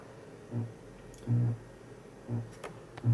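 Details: Hi-fi amplifier driven with a 0.5 Hz inaudible tone at about 200 W into an 8-ohm load, heard on a speaker: short low hum bursts at each tone peak as 120 Hz supply ripple leaks through once the amp saturates.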